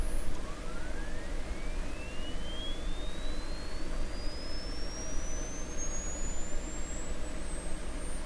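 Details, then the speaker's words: 1929 Templetone radio speaker, microphone close up: thin, faint tone glides upward from low to very high pitch over hum and hiss; speaker driven with no cone connected, so output is weak. "so the problem now is the sound is really small because there's no cone connected"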